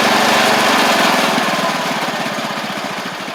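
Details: Restored 1985 Wheel Horse 312-8 garden tractor, after a multi-month revival: even, steady idle putter with no surging or misfires, easing slightly quieter as it settles, on a cheap aftermarket carburetor that works well; normal idle.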